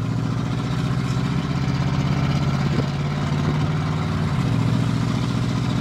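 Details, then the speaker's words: 1988 Chevrolet Silverado V8, warming up while cruising about 45–50 mph: steady drone under road noise with occasional faint stumble; slight misfire, sometimes runs rougher as it warms. "I got a little bit of a misfire though I can hear it but it's not Miss F right here she want to open up see once I get to like 45 50 but now she miss fing again"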